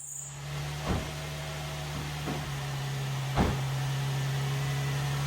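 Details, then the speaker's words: 2004 Nissan 350Z just after fitting new OEM-spec fuel pump, cam and crank sensors: catches after a few thumps, having taken a while to prime, then settles into a steady, even hum with no misses; normal idle. "It took a little while to prime it through, but she's running."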